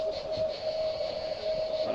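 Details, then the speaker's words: Outdoor garden irrigation water supply (about ten taps), acoustic ground listening: loud, steady hiss with constant mid-pitched whistle, no rhythm; pressurised water escaping from buried pipe, a big leak. "alors là on a une grosse fite le bruit le bruit est très important"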